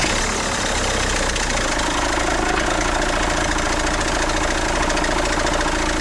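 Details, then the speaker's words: 2008 BMW 520d E60 diesel, cold start after resting hours: clattery idle with thin steady squeal despite new belts, auto tensioner, tensioner pulley and alternator bearing; goes away after 10–15 minutes driving. Drive belt squeal on cold start. "yeah so that usually goes away okay so that sound usually goes away after a few minutes of driving like 10 minutes 15 minutes of driving but it's really annoying when it's I start the engine"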